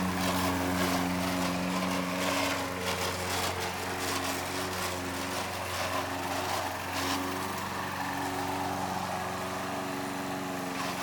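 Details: Old Toro Recycler mower with bad transmission, cutting grass: steady drone with rough gritty rasp on top; worn, grinding drive transmission.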